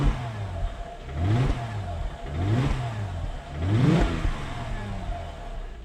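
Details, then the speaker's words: Freshly rebuilt 3.5 V6 Mercedes E350 (previously knocking and smoking) revved after warm-up: three clean throttle blips that rise and fall smoothly with no knock or miss, and no smoke when revved; rebuild judged successful. "The engine rebuild was successful and I'm happy with the result. As you can see, no smoke is coming out when the car is revved."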